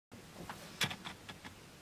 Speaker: As you just saw, I've got a really noisy autofocus on my lens that came on with my Canon 200D.